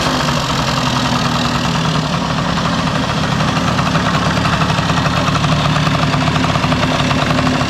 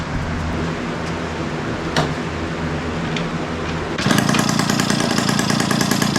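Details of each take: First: 1971 Yamaha Mini Enduro two-stroke, first start in decades after carburetor cleaning, muffler refitted with washer O-ring; strong even idle with steady buzzing beat, no misfires or sputters. Normal idle. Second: 1971 Yamaha Mini Enduro two-stroke, after clearing an acorn piece and dirt from the carburetor: rapid, crackly beat turning harsh and louder because the muffler washer O-ring was left off. Exhaust leak at muffler seal.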